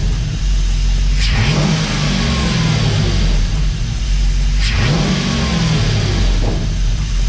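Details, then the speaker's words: Dodge Dakota R/T with replacement 5.9L Magnum V8 from a Durango R/T, just installed, oil pressure above middle, temps low: two quick throttle blips rising and settling to smooth idle, no knocks or misses; normal revving. "Guys, she sounds healthy. Listen."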